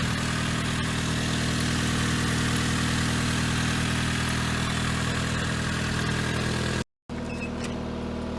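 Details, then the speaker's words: 1994 Saturn boneyard car idling after a 20°F February cold start, only oil checked and water added: smooth, even idle with steady low hum, no knocks or misses; healthy. "We got the Saturn running, we got the Metro running, and Chevette running."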